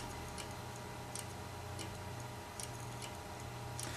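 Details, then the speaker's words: Computer hard drive after a power cut, connected via a USB-to-SATA cable during data recovery: dry, sharp clicks roughly once a second over a low electrical hum, transfer stalls; click of death. "no it's making the clique of death hopefully you guys can hear that"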